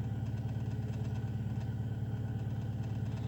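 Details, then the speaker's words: Car with P0507, warm after 15 km, idle air control valve and throttle position sensor replaced: fast, even pulse holding about 1000 rpm and creeping up again without dropping back, a high idle not caused by those parts. "Обороты повышенные. Короче говоря, дальше дело не в РХХ, вот опять повышаются."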